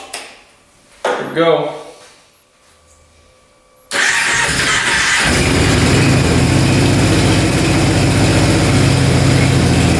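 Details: 2005 Kawasaki Prairie 700 twin ATV, stored for years, after a carb clean and choked, with the airbox off: a couple of cranking attempts, then it catches and settles into a steady, even idle with a firm low burble. Healthy normal idle, burning old oil off the pipe.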